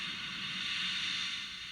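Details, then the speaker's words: Fender G-DEC 30 amp with nothing plugged in: a steady airy hiss with no squeal, the normal noise floor for a high-gain amp. The separate squeal fault was traced to bad filter caps. "High game Amps do that and that's not the noise I'm talking about this is normal"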